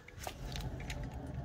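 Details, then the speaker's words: 2014 Nissan Versa rear wheel spun by hand before removal: low, rough rumbling growl from a badly worn wheel bearing, no wobble or play; growls a lot when driving. "It just growls a lot, especially when you're driving."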